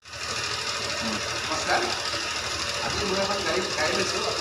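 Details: Fast, busy metallic chatter over a steady idle; the timing chain tensioner was opened and found worn, making the sound; slack timing chain from worn tensioner.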